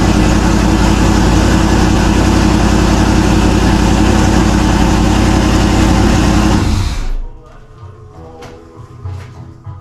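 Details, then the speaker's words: Turbo LS Camaro first run: loud, even V8 idle with a steady lumpy beat for about seven seconds before shutting off; fires and runs cleanly. "Since it started with no well and just she sounds good right off. Sounds really good."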